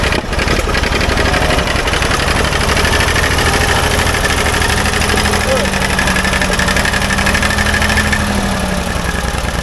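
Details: Old Ford loader backhoe, long unused, rough steady idle with irregular pops and sputters through the exhaust; mechanic suspects it isn't getting full gas flow, as a fuel line connection leaks gas badly; cause not confirmed.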